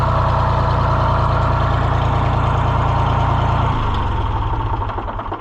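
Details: John Deere 1020 diesel tractor idling after repair work, then shut down: steady, even low throb with no knocks or rattles; runs cleanly.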